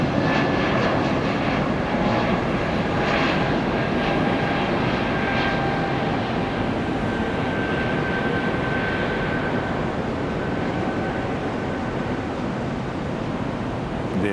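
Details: Apparently the delayed Frontier Airlines Airbus A320neo taking off at Tampa International after a noisy start-up: steady, even jet roar with a faint high tone, no surging or popping, engines spooling cleanly; normal takeoff.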